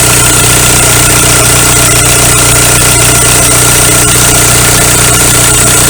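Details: 2001 VW Golf TDI (ALH) diesel at idle after injection pump head plug seal replacement and bleeding air from the lines: steady, even idle with light injector clatter, no misses or stumbles; runs clean now.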